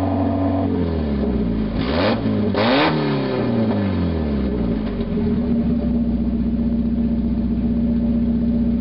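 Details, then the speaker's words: 1991 Mazda Miata parts car, parked about five months, running with the catalytic converter removed. It revs up and down with a loud, raspy, hollow exhaust drone; it revs quicker and runs smoother without the converter's back pressure. "Well, I was right. Sounds like crap. Definitely revs up a whole lot quicker though. I mean, the whole engine seems to be running smoother. But you remove all that back pressure from that catalytic converter and it's bound to help a little bit."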